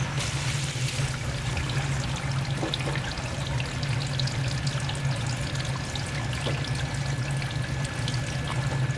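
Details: Basement Watchdog Special (Pro Series 1730) backup sump pump, rated 1730 GPH at 10 ft, test-run submerged with a float lifted by hand, about five feet of lift, third-generation reconditioned controller: steady low hum under rushing, splashing water, no rattle or grinding; normal operation.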